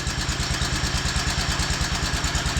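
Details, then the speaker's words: Wheel Horse C-120 8-speed tractor with a 12 hp Kohler, not run in several years, new battery fitted: steady, even low thumping at a quick pace with no misses or knocks, idling smoothly and quietly with no smoke after a small pop on first start. "And the guy told me he hadn't run it in several years. So, I should be able to hit the key here. We have had it running. I can't get over how quiet it is."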